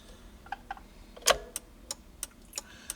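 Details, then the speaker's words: DeLorean with LED turn/park bulbs, ignition on, after fitting new EP35 flasher to fix fast flash: crisp even ticks about three per second; flasher cycling at proper normal rate. "Well, that looks about right. You can hear it's got the regular frequency that it's supposed to have on it."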